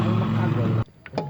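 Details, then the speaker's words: Honda Beat FI scooter, nearly new, after replacing the CVT bearing and drive belt and servicing the CVT: short, smooth even low drone with no rattle or grinding; the remaining sound is normal friction, not the bearing. "nah bunyinya itu bunyi dari gesekan sini bukan dari bearing ya ini bunyi normal"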